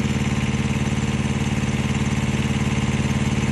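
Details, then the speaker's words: Mack truck APU small diesel after coolant leak fix, compressor kicking in: steady even pulse about two beats a second, unchanged under compressor load, still running smooth; normal running under load. "there it is that compressor's kicking in now she's still running smooth"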